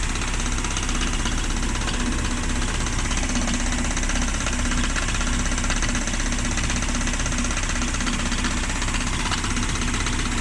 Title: 1994 Miata rod knock..?